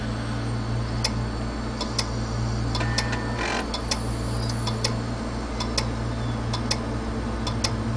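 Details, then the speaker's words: 80 GB Western Digital hard drive that came in for recovery, tested with a bad set of heads. Steady sharp clicking about twice a second over a low spinning hum; it spins down after a few clicks, then spins up and clicks again. "You hear that steady clicking, and what these drives will typically do is they'll power down, they'll spin down just a little bit after a few clicks and then spin back up and start clicking again."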